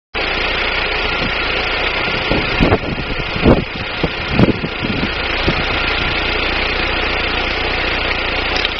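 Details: 1999 Daewoo Nubira 2.0L DOHC U20SED at idle: steady four-cylinder idle with irregular stumbles about once a second, intermittent misfire; owner suspects weak spark from the DIS ignition coil, not confirmed.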